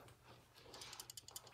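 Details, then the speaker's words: Refrigerator compressor start relay removed and shaken by hand: loose irregular clicking rattle from broken pieces inside, so the relay is faulty; capacitor looks fine. "Did you hear the sound rattling sound? So it means not good."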